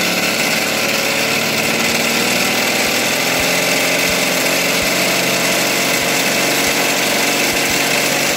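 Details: Philtech V12 model aircraft engine, 108 cc liquid-cooled two-stroke glow engine with miniature radiator, warmed up: steady high-pitched buzzing idle with an even, smooth beat, running cleanly; normal idle.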